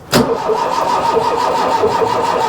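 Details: Mk1 Ford Fiesta Ghia 1.1 carburettor barn find, cranking with a steady, even churn after the carb was confirmed squirting fuel, but never firing; thought to need more battery power.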